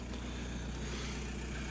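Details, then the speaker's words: VW Golf MK4 wagon 1.9 TDI PD130 diesel, very low on fuel, after fitting new fuel lift pump: low, even idle with smooth steady drone, no pump whine or rattle; old pump's horrible noise gone, old pump covered in algae and debris. "new fuel lift pump fitted and it's not making that horrible sound that it did before"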